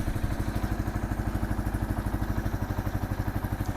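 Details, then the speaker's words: Kawasaki KL 250 single just after top-end rebuild, rings not yet seated and heat cycles pending: steady, even idle thump with no knocks or misses; running good, starts easy, no oil leaks. "Alright, I think it's running good. Everything's doing good on it. Starts easy."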